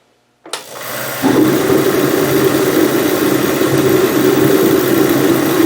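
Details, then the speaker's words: Mr. Heater MH 50 KR (Princess Auto PA 50 DKR) 50K BTU shop heater after a cold start at -14 °C outside, about -5 °C in shop: a whoosh as the burner lights, then a loud, steady, even roar of fan and flame, running normally. "it's it's loud it's noisy when you're working in here like you know you can carry on conversation but it is loud"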